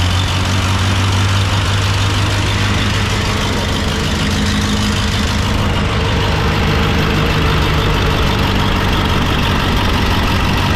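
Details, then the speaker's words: 1929 Austin Heavy 12, 95-year-old four-cylinder, first start after adjustments and fuel added, with a cracked head weeping coolant: low, steady putter firing evenly with no misses; vacuum fuel pump thought to be drawing from tank; normal idle. "and we reckon it's it's the vacuum pump for the fuel and we reckon it's drawing fuel from the tank and it's not misfiring which is an absolutely cracking result"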